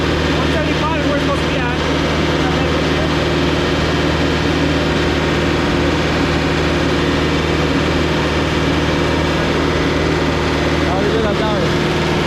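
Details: Putzmeister TK50 concrete pump diesel engine running after start-up; steady low drone with an even, unchanging beat and no knocks or misses, running normally.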